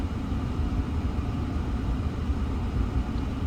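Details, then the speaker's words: 2015 Ford Fusion 1.5 EcoBoost with P0302 at idle, low uneven rumble during a scan-tool power balance test; disabling cylinder 2 changes nothing, so cylinder 2 is dead, suspected injector fault. "And we're going to go to number three. After spares, still runs like dog All right."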